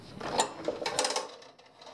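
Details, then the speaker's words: Harbor Freight 50-ft 3/8 in rubber air hose reel, bought June 2014, almost three years old: quick light clicks patter unevenly as the hose is pulled, and the ratchet only catches in certain positions, here not latching. "when you pull it down it's only going to catch in certain positions like right now it doesn't catch now you hear it clicking and it'll"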